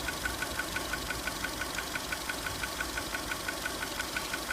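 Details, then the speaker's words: 2002 VW Polo 1.4 petrol, code P0304, idling with the coil packs exposed: regular ticking stumble about three a second from a number 4 cylinder misfire caused by a bad coil. "You can hear the misfire from number 4."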